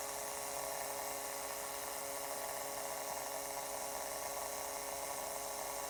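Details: Acer Predator G9 (593) laptop after 9–12 months of use, internal speakers: steady electrical buzz with fixed mid-pitched tone over hiss when system heats up, also in BIOS or large file copies; owner guesses southbridge-area interference; 3.5mm output clean, max fans helps.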